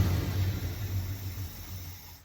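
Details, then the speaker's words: 1979 Ford Econoline 350 with 460 big block and electric choke, long-sat van revived from no spark/no fuel, just started and still cold: low rumble sags and dies within two seconds when kicked off fast idle; cold engine stalling. "She's kind of cold-hearted. Got an electric choke on it, but she's running just fine, sitting here idling. I'm going to try and kick it down and see if she'll stay alive, but I don't have much confidence in that."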